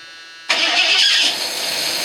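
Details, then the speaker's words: 1978 Ford Thunderbird, owned since 1999, cold start with the choke partly on and possibly flooded: a starter whir, then the engine barks right off into a fast, rough cold idle that settles quickly. It is a healthy start and runs great. "do you believe that she just barks right off well i did flood the out of it but it did bark right off unbelievable"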